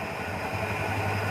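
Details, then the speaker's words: Carburetor engine at idle, ignition timing set retarded: steady, deep, even idle that sits low and never picks up; moving the adjustment up advances it and raises rpm, down lowers rpm; should be set midway, affects fuel average. "जैसे ही मैं इसको ऊपर कर रहा हूँ तो गाड़ी मेरी एडवांस हो जा रही है, यानी कि आरपीएम इसका बढ़ जाता है, और जैसे ही नीचे कर रहा हूँ तो आरपीएम कम हो रहा है।"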